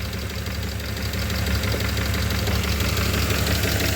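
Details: BMW E34 5 series M50B20 at warm idle; it cuts out and misfires at idle/low revs when warm. Lumpy, uneven idle with irregular low thumps. Owner suspects the folded intake pipe (refitted) or temp sensors. Rough idle, cause unconfirmed.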